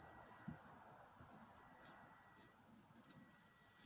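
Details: Cordless drill trigger switch checked with a multimeter on continuity: the steady beep drops out and returns irregularly while the trigger is held. Intermittent contact from a worn, grit-laden switch.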